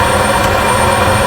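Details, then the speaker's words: 2008 Buick Lucerne 3.8 with P0412, AIR pump running in active test: loud steady strained drone that never quiets, pump deadheaded because solenoid switching valve not opening. "And typically you'll hear a change in the air pump motor, because right now it's kind of deadheaded. Usually if that valve's opening, you'll hear it, quiet down."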